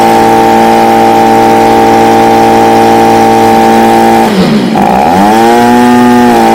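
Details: Stihl BG55 two-stroke leaf blower, previously no-start, running on a new C1Q-S68G carburetor replacing one with a torn diaphragm: steady high-revving buzz dips briefly, climbs back and holds smooth; healthy, only carb tuning left.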